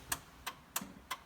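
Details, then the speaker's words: 1973 VW Thing, hazard lights switched on: crisp evenly spaced ticks about three per second; flasher relay working normally. "Yeah. Good. Let's see. Great. How about the back? Yeah, they work."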